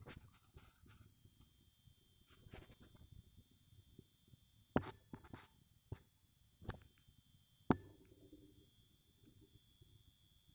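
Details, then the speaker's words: Ceiling chandelier with one burnt-out lamp: faint, constant high-pitched whistle in a quiet room with occasional clicks, loud enough to prevent sleeping; high-pitched whistle from a failed lamp. "смотрите хочу вам пожаловаться сегодня включил люстру лампа 1 перегорела при этом не просто перегорела еще с ее себя"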